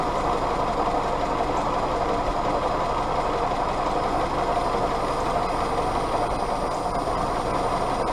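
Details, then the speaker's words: Willys CJ2A Jeep L134 Go Devil four-cylinder after tuning and timing: steady, even low rumble, no knocks, misses or ticks; exhaust about 200, head 140, water hoses about 115-118; running healthy. "I don't know I'm probably just gun shy at this point with everything that's happened but I'm pleased that it runs"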